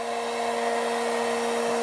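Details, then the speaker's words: R8 spindle after retrimming shank 1/2 and adding 35mm insert for support, at 18,000 RPM: clean steady high-speed whir at constant pitch, no hum, wobble or rattle; spindle running smoothly. "So we are coming up. Well, the humming that you hear is from these from the bearings, but yeah, there you go. That's 18,000 RPMs and no humming, nice and smooth."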